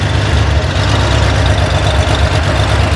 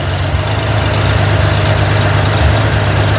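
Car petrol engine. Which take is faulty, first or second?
first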